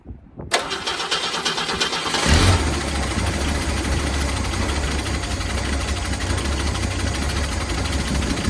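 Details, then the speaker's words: V8 running off a gas can: cranks, catches, then runs roughly and surges; a fuel delivery problem, not the spark plugs, with no valvetrain noise and a slight exhaust leak. "Yeah. So we've got a fuel delivery problem. It's not the spark plugs."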